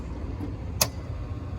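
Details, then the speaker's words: Carrier rooftop unit in test mode, with bad condenser fan motors 1 and 3 unhooked: a sharp click as the outdoor fan contactor pulls in over a steady low whoosh with no scrape or wobble; two fans running normally, no fuses popping. "That contactor pulled in and is running this fan. So I now have 2 fans running. Still running, not popping any fuses."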